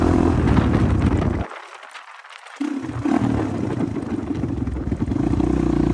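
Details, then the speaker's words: 1985 Honda XR350R single-cylinder four-stroke, revived after sitting outside 6–7 years, first ride after carb overflow leak fixed: thump drops off, stumbles and picks back up under throttle; runs and rides but carburetor still needs adjustment. "It does run and ride, and it's a pretty solid bike. The carburetor still needs some adjustments, but for now, I think we'll leave it the way it is until we can dig back into it a little bit in the future."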